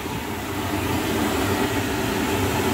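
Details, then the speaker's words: Lochinvar boiler after blower motor and housing replacement (old motor bearings going bad), burner lit: steady even rushing roar with no knocking, squeal or grinding; normal running, works without adjustment. "It doesn't look like I'm gonna have to adjust that. It's just gonna work. That's the way I like it."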